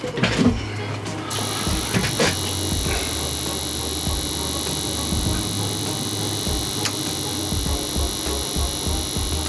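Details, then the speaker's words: Growatt inverter after the ground/neutral wiring was reworked, one battery connected, no faults shown: a steady electrical buzz with a high constant whine over a low mains hum. "is it is making a buzzing sound let's just get this inverter completely set up put it on 240 60 hertz get it set up in parallel and then we'll worry about any noise or anything we're hearing"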